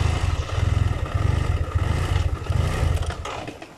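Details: BMW F700GS motorcycle, hot engine, clutch pulled: low idle pulses unevenly, rising and falling, then sags and fades as the engine stalls. Unstable idle caused by a faulty throttle position sensor, later replaced.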